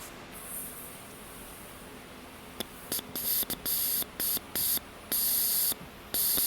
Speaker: The clicking that we hear is this thing opening and letting air through. And as you heard uh you can actually hear the air hissing out of the other end once this thing is activated. So that means that our purge solenoid or valve purge valve is uh in good condition and works properly as it should.